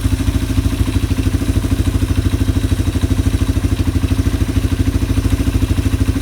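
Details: Yamaha ATV (four-wheeler) carburetor just cleaned, reassembled and float-adjusted (float set about four times, no fuel from overflow); engine idling to clear leftover WD-40 from the carb. Quick, even single-cylinder thump, steady without stumbles or hunting: normal idle.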